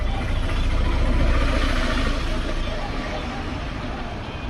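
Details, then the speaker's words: Mixer grinder motor after rejoining a broken carbon brush wire: steady low electric hum at even speed, no grinding or rattle; motor OK. "बस इतना ही था इस वीडियो में। बाकी मिक्सर का motor okay."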